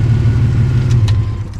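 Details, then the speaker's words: 1992 GMC Sonoma GT, 4.3 CPI V6, after idle-surge repair work including a CPI spider injector, driving: even, steady low drone with no surging, stumbling or misses; it runs good and sounds healthy. "still running still running runs good man does it yeah it's great"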